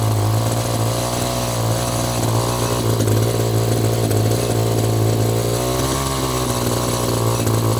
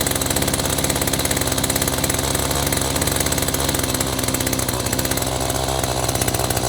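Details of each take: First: Echo GT-200i string trimmer with an aftermarket carburetor after the internal jet was turned out in half turns. Steady, high two-stroke buzz holding even speed without sagging or stalling; now running normally, needing only slight carb tweaking. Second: Echo two-stroke string trimmer with aftermarket replacement carburetor, choke off after starting: fast steady buzz far above normal idle, spinning the trimmer head; idle speed set too high, no obvious adjustment found.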